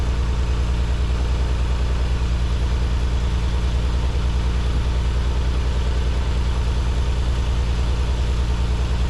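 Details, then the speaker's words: Nissan 300ZX just after installing new spark plugs and refitting the balance tube; a coil pack is slightly loose. Low idle with uneven pulse, about a hundred beats a minute, catching now and then; still stumbles, cause not confirmed (fuel injectors suggested). "This plug is loose a little bit. I mean, this coil pack is loose a little bit, but it's running. Still got that little stumble."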